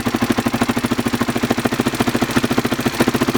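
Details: Honda XR600R at idle: sharp, fast ticking about ten times a second riding steadily over the single's idle; top-end tick, cause not yet pinned down.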